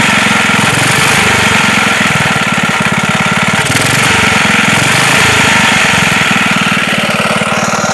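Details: Wisconsin single-cylinder engine that sat for a long time and leaks oil and fuel: steady chugging with a rough, hard knock on each beat. It is a rod knock, likely from slight play in the rod at the crank.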